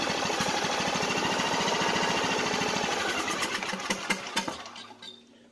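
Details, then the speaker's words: Craftsman YS4500 lawn tractor, cold start after sitting a few hours: a small single-cylinder engine thumps at a fast, slightly uneven beat before dying away; a little iffy at first, then it smooths out. "so it made a liar out of me would you know it um little iffy but once it started you know running it it smoothed out"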